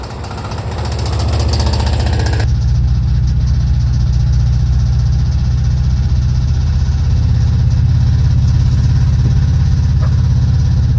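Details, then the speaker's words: 1968 VW double cab Transporter, stored 5 years, driving: deep engine drone with recurring knock about three per second; engine knock, cause unidentified. "some of you VW guys out there, let me know if you have any opinions or anything or if uh you hear anything in the video and you might be able to identify what that knock could be."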